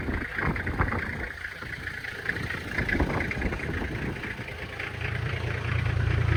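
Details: 1997 Toyota Land Cruiser HZJ75 diesel, cold start at about 20 degrees in wind after glow plugs: clatters a little, then settles into steady even idle that firms up; smoke nearly gone, blow-by looks good; normal cold start and idle.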